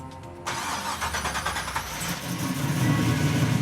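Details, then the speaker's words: First fire-up of a freshly built car after the battery and fuel pump were hooked up: the starter cranks briefly and the V8 catches instantly into a strong, even idle with no knocks or misses. Good oil pressure, charging and temperature readings; a healthy start. "This thing roared to life in a hurry. It sounds amazing. I could hear the oil pressure come up bang on, and all the gauges were working."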